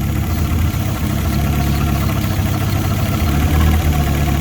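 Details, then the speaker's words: Fiat Punto GT not started in over 12 months, warmed a few minutes, now idling: steady low idle with a chuffing noise and revs fluctuating when carb cleaner is sprayed; vacuum leak at the intake manifold. "But can you hear that chuffing noise? So what I'm going to do now, a bit of carb cleaner, just to see if there's an air leak anywhere. Yeah. So we've got an air leak on the intake manifold somewhere."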